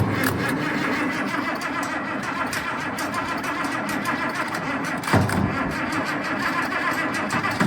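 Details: IH 1468 tractor with its V8 removed, after fuel priming until fuel returns to the tank and shots of starting fluid, with throttle opening uncertain. It churns roughly with the odd surge but never catches; the operator suspects his own error.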